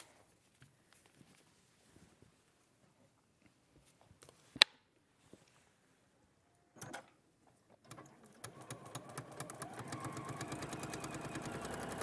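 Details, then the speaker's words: Sewing machine stitching a seam over many fabric layers: after quiet handling it picks up into fast, even stitching ticks; normal noise from the layers, not the popping of a blunt needle. "that's not the pop popping noise that your blunt machine that's just a machine going through lots of L"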